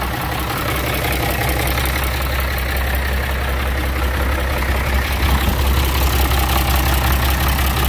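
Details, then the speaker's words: Galion 503 heavy diesel, warmed up, after running Sea Foam: deep rumble with uneven lumpy beat at high speed, intermittently missing one cylinder; faulty injector suspected, not yet identified; oil pressure good. "well i don't know i'm still missing a cylinder at high speed thought that was gonna gonna help"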